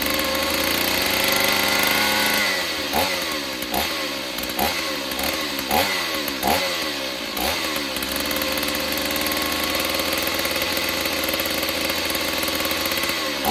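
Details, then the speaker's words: Stihl 028 Wood Boss chainsaw, long unused, cracked pulse line found; run with filter off, thumb as choke. Revs up and drops back in about eight quick blips, then holds steady, picking up cleanly; seems fine, just needs tuning and servicing, somewhat weak. "Yeah, I don't think there's anything wrong with her. I think just some tuning and a little bit of servicing, I think this thing will be great."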